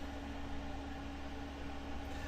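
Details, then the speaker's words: Planar Autoterm 2kW diesel heater newly installed in ambulance, first run, blowing warm air: steady quiet fan hum with constant low tone, no pulsing or rattles; normal running. "No smoke. Nice and quiet. You hear it? Sounds like an airplane. It's burning really well."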